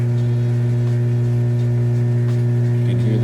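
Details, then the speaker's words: Kenmore electric washer-dryer laundry center moving from wash to rinse: drain pump emptying water before spin, steady even low hum with clean tone, running nice and fast, no rattle; normal. "All right, now we're moving out of the wash cycle into the rinse cycle, and it's draining the water out."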